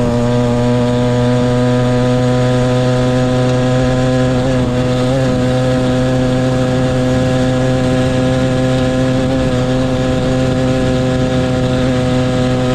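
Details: Motorized bicycle ("the Mule") small two-stroke kit engine, brought in for a no-start; steady high buzzing note at even speed without stumbling or misfiring; running cleanly before teardown, which later found fuel in the float and a thin clutch pad.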